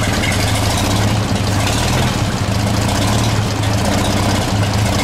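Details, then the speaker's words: 1934 Chevrolet 1.5 ton truck first cold start after about 70 years, carb cleaned, points sanded, fresh gas, 6-volt battery; choke pulled, gas feathered, low steady even idle with no misses or knocks. "yeah she does sound pretty good okay pull some choke and then just feather the gas okay all right it's fine now"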